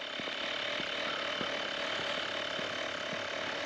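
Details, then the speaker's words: Tyre inflator compressor filling a camper van tyre, heard from a distance: even buzzing hum with high whine and quick light ticking; compressor runs smoothly, fairly loud but normal. "je pense que vous vous rendez compte quand même du bruit que ça fait ah c'est pas non plus spectaculaire mais c'est pour vous montrer quand même que c'est pas un petit compresseur à de balles"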